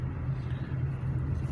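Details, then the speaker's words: Kia Cerato driven over uneven road after a year of front-end knocking, strut mount kit, ball joints and non-original links replaced, then links and stabilizer bushings: steady tyre and road rumble, no clunks; suspension quiet. "tô aqui gravando numa pista que irregular exatamente para mostrar que o meu problema Acabou eu há um ano já com aquele toc toc na suspensão"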